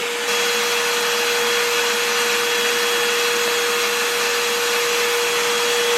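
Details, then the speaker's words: Hoover upright vacuum after drive belt replacement, brush roll turning on the floor: steady, even motor roar with constant mid-pitch whirr, no knocks or slapping; running normally after the repair for failing to pick up. "And now we'll bring it down to the floor, and you can see it turning just the way it's supposed to."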